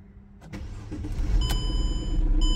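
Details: Mercedes E350 W211 after EIS/EZS electronic ignition switch repair: brief starter whirr, then catches at once and settles into a steady, even idle; clean, healthy start.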